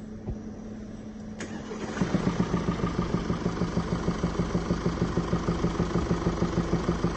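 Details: 2017 (67 plate) Mercedes E-Class with 654 engine, at start-up: engine catches, then a steady rhythmic tapping knock at about three per second through idle, from worn rocker arms and hydraulic lifters, before replacement.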